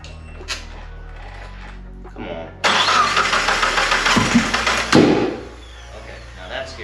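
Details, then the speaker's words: Mitsubishi Eclipse 3G turbo after head gasket swap with Sonata G4JS DOHC head: starter cranks unevenly about two seconds without firing; spark and compression checked, camshaft sensor suspected. "all right so we have spent the last three hours in here trying to find out why the car didn't want to start after making sure we have an issue after making sure we had compression"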